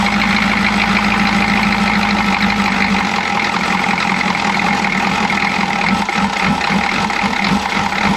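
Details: Chevy G20 van with 6.2L diesel and a grease-caked intake manifold, clattery idle with an uneven stumbling beat that keeps breaking rhythm; misfire, owner suspects a timing problem.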